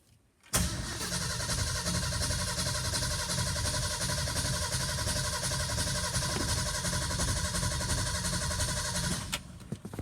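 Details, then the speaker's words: 1978 Ford F-150 Ranger with brand new carburetor, out of gear; steady fast cranking for about nine seconds, engine never catches; owner suspects no spark. Crank no start. "Nope. I don't even think it has spark. Like, it's not actually, like, doing anything."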